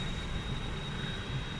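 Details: New Skoda Rapid, 14,699 km, steady high-pitched whistle over full-speed fan rush, heard near the driver's door glass; cabin wind/air leak whistle.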